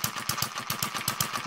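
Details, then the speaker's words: Kerzel hit-and-miss model engine, water-cooled with spark ignition, on unleaded petrol, still tight and running in: crisp, regular firing at about seven or eight beats a second with light mechanical clatter. It is running normally. "You can hear it firing. And we're away."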